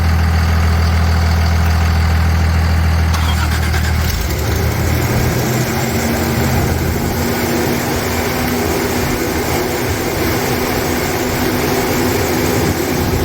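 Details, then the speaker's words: 1992 Toyota pickup with rebuilt 3VZ-E V6, first start on break-in oil after three years off the road: engine catches and settles into a steady, even idle with a smooth low hum, no knocks or ticks. "okay here's the first startup on this rebuilt motor for this Toyota"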